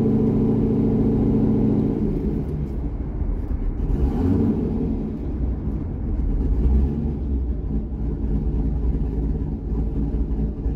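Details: C6 Corvette V8 with aggressive camshaft and long-tube headers, after a revised HP Tuners idle tune: deep, even rumble holds steady through light throttle, no stumbles or misfires. Normal running.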